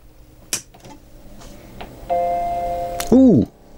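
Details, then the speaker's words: Macintosh LC rescued from a recycling centre, powered on right after its power supply was replaced: a single clear startup chime with no odd noises alongside it, so normal boot sound (the monitor later shows a distorted picture). "have a startup beep there's a start all right"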